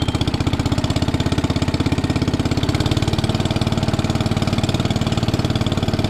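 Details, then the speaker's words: 1961 International Cub Cadet Original, 7 hp Kohler single-cylinder, started on choke and still a little cold while warming up: steady, even thump with no knocks or misses, not fully warm yet; healthy running engine. "Let me get her started up. Warming up. Start choke. She's still little cold."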